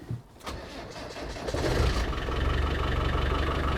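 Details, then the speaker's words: Land Rover Defender 300Tdi diesel after injector seal replacement: long crank, then it stumbles into a lumpy, uneven run that slowly firms up; air let into the fuel system. "it's probably going to chug for a while because well let's land over and i've let all the air into the system"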